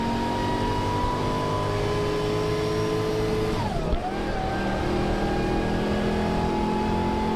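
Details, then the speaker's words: Morrvair V8 with 250,000 miles, launch acceleration test after spark plug replacement; pulls cleanly and evenly through a smooth rev rise, no stumbling or misfire; running smoother. "Okay, well, seat of the pants is, it's good. I'm not blown away, but it is running smoother."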